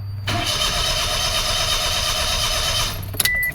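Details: 2005 Toyota Passo with intermittent no-start (dies, then restarts next day): starter cranks steadily for about three seconds without catching; scope shows no ignition coil current, so no spark; cause still being diagnosed.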